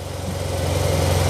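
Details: 2009 Yamaha TMax scooter right after fitting the fuel pump: engine catches and settles into an even, low thumping run building smoothly, no misses or odd noises; healthy after repair.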